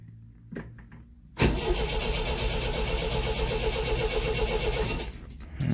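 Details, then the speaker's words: 1974 MGB GT after 7–8 months sitting, coil on, plugs not yet checked for spark, choke pushed back in: starter churns about four beats a second with a tiring pace as the battery flattens; slow cranking, no start. "She's getting a bit flatter now. Put that choke back in."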